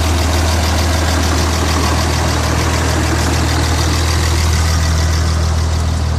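Deep diesel idle with an uneven, lumpy beat around three pulses a second that never settles; a rough idle, cause not evident.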